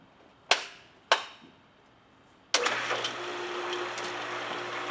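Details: Pool pump motor switched on after reassembly with new bearings, while being primed: two clicks, then a smooth, steady hum with a faint rush of water and no growl or squeal. Normal running.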